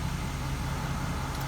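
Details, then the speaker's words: 2016 Nissan Titan XD Platinum Reserve, Cummins 5.0L diesel, just after replacing both fuel filters and priming until the low-pressure warning cleared: brief, quiet, even low idle with no hunting, knocking or stumbling; runs smoothly, normal idle. "put my foot on the brake pedal after that and cranked it right up it starts right up and so I've got two new fuel filters good for about another ten thousand miles and keeping my Nissan Titan XD running smooth see right there's celery nicely no issues"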